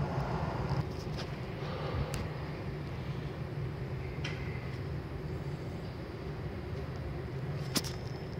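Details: 2008 Toyota Camry while driving after replacing both rear hub bearings that made low dull rumbling: steady low road rumble with no growl or whine rising with speed; rear bearings now quiet.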